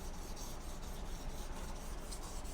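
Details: Japanese kitchen knife on a whetstone, held slightly diagonal to the stone with the thumb fixing the angle and the shinogi line in contact: quick, even rasping strokes with a consistent scrape on each pass, showing good blade contact.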